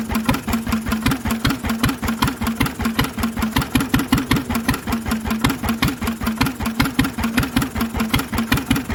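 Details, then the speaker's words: Lister engine on its first start in 40 years, on a little choke while the fuel needle is balanced: slow, even single-cylinder chuffing about 160 beats a minute with a loud open exhaust; no big-end knock, runs smooth and healthy. "but as you can hear she's got no big end knock mechanically she sounds lovely"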